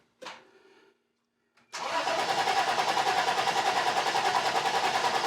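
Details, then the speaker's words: Toyota 4Runner that sat nearly 10 years, cranking with compression gauge in cylinder 1 (reads 155 psi); even cranking about three beats a second after a brief false start, healthy compression, valve timing probably correct. "okay so it's building compression i would say your valve timing is probably correct"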